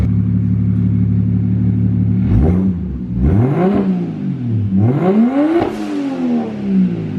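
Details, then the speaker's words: BMW 335i converted from twin turbos to a single big turbo, after a major refresh: quick revs, each followed by a clean turbo whistle that rises and falls away smoothly, a normal, responsive turbo spool-down. "You can kind of hear the spool down a little bit when you rev it."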